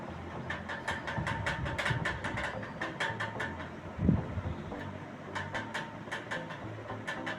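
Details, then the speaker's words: Ceiling fan running: a quiet run broken by clusters of sharp "tik tik" ticks, about five a second, that come and go. The customer reported this intermittent noise. "இந்த ceiling fan ஓடும்போது சத்தத்தை கேட்டிருப்பீங்க. Tick tick tick டிகி டிக்குன்னு வருது. இந்த சத்தம் கண்டினியூஸா வரல. அப்பப்ப வருது அப்படிங்கற மாதிரி கஸ்டமர் நம்ம கையில சொல்லிருந்தாங்க."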